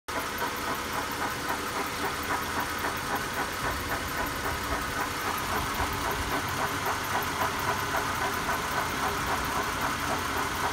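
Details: 1999 Honda Accord EX V6 at 160,000 miles, idling: steady regular light tick about three to four per second over the engine hum; newly developed engine noise, source unclear.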